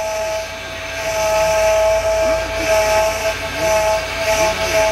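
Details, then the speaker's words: Honda idling after being started to move it. A loud, steady, high whine rides over the engine and swells as the steering wheel is turned. Power steering whine, suspected belt, tensioner or pulley, with the fluid to be checked; unconfirmed. "what the hell is this a Honda's making noises what well that doesn't sound too good wait till you hear the wheel move sounds like somebody needs a belt or a tensioner or a pulley or something"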